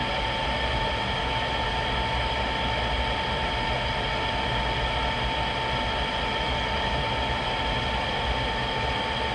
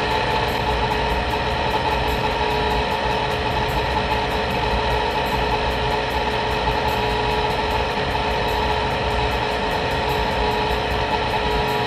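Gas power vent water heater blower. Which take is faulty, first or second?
second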